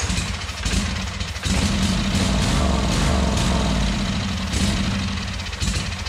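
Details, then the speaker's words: Wright Stander mower twin engine, compression low (about 90-100 and 60-70, cylinders fuel-soaked), bent valve suspected beforehand; runs on starting fluid with some surging but no knocking or clatter, owner judges it sounds pretty good: normal running. "I was trying to keep it running for a little bit anyways, just so I could listen to the motor and kind of get a good indication of its condition or whether it's, you know, running smooth or what the issue was. And to me, it sounded pretty damn good."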